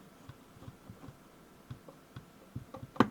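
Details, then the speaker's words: Diansu DS-982 solder paste dispenser control unit reassembly, soft screws with poorly cut threads: light, irregular clicks about every third of a second as the screw turns and threads slip over; stripped screw threads. "get it tightened down yeah they're stripped you can hear it just click over"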